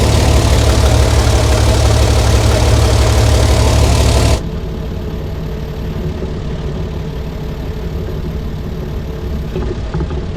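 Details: 60-year-old International Harvester 6x6 army tipper, Perkins 6354 diesel, sat about 10 years, as the heavy clutch releases and it tries to move: loud rumble drops abruptly to an even, steady idle with regular firing and no knocks; healthy.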